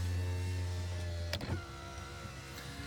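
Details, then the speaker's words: 2001 Toyota Camry 4-cylinder, 129,021 miles, non-running car with engine apart, power windows lowered: smooth steady low motor hum as the glass travels, ending in a soft thump at the stop; window motors and regulators work normally. "So I'm gonna leave these windows down too. At the end of the video I'll put them up. Looks like everything works well there."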